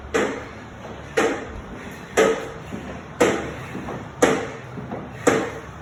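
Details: NordicTrack SE7i: sharp click about once a second, steady with every stride cycle, in a quiet room; clicking noise whose source is not yet pinned down.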